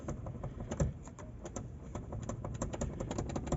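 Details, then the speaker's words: VW Voyage/Gol (G6) door pressed lightly gives a fast, irregular patter of light plastic clicks and taps; the door trim rattles loosely, making the door seem to be falling apart while driving. "E aí você tá andando parece que a porta do carro está se desmontando você não sabe se é possa você não sabe se é a máquina de fala que vai-lhe porta faz fechadura ali dentro"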